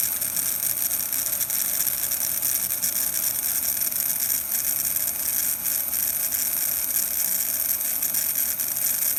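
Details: Atlas U25B N scale model locomotive motor: steady high-pitched buzzing whir with a faint rattle at constant speed, louder with the shell on; noisy motor.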